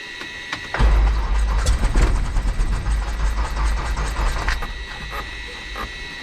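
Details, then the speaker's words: Light aircraft piston engine, throttle open 1/4 inch, primed, fuel selector unknowingly turned off (unmarked old faceplate): cranks right up with good oil pressure, then uneven stumbling bursts that sputter and die within seconds, won't restart; fuel starvation stall. "everything's good, cranked right up. Well, then she just sputters and goes dead. Uh-oh. And can't get it to crank."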